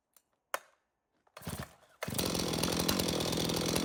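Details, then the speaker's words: Stihl MS 391 chainsaw, customer-reported no-start, run on fresh two-stroke mix: catches after a couple of pulls and settles to a steady, even idle with no misfire or stumble. It runs healthy; stale watery fuel is suspected as the cause. "well that 391 starts and runs no problem so stale watery fuel I guess is to blame"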